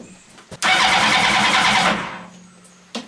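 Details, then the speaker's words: Motorcycle engine in a 4WD mini trophy truck build with an aftermarket eBay ignition key: starter cranks evenly but it never catches, no spark, FI light flashing with code C42 ignition switch anti-theft (immobilizer) fault. "FI light is back on flashing and we don't have a spark all right what is not working"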